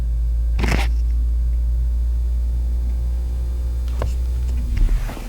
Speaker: guys could hear that because that's going to be from my demonstration that was the vacuum pump running and that's a noise you will no longer hear in the new autopilot enabled cars autopilot 1.0 and newer